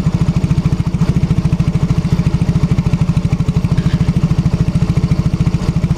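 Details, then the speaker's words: Yamaha X-Ride scooter idling with an uneven, lumpy banging pulse about three times a second that hunts; sluggish, pungent exhaust, plug renewed without effect; clogged fuel injector. "dari suara mesinnya ini ngebanting ya suara mesinnya ngebanting pokoknya saat posisi Tensioner dia tidak normal ya"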